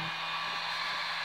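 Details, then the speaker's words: Harbor Freight Drill Master heat gun 62546 after repair, switched from high heat to low: even steady blower hiss with no rattle, scraping or speed hunting; normal running. "so I finally have this heat gun completely back together and I have it on high heat right now but I haven't turned on the power switch yet I'm going to turn it on right now that's all and there's low"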